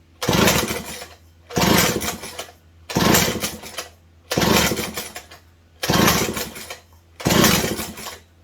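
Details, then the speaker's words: Old McCulloch 740 chainsaw, points ignition with old condenser suspected erratic (coil ruled out): six sharp rev bursts screaming high then dropping back; revs too high, likes its fuel, new carb solution planned. Cause not confirmed. "So, likes its fuel. Likes its fuel. I like how it sounds, I just don't like how it revs up real high, but we can work with that."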